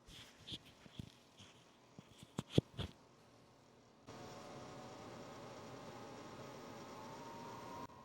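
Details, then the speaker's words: Vevor 5–8kW all-in-one diesel heater, mic held close during first start: irregular ticking from the fuel pump priming diesel, then the burner and fan come in with a steady, even roar; heater started and running normally. "And there we have it. You can hear the engine's going. Getting hot, and we're gonna go ahead and let it sit here for a little bit"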